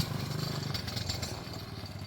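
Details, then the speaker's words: Quad (ATV) on year-old fuel during ride test: engine revs unevenly with light tinny rattle on top, caused by the loose chrome cover on the muffler; owner plans to re-drill it or remove it. "That rattling you guys are hearing is actually the chrome. Okay, why is she stopping? Anyways, the rattling you hear is the chrome for the muffler."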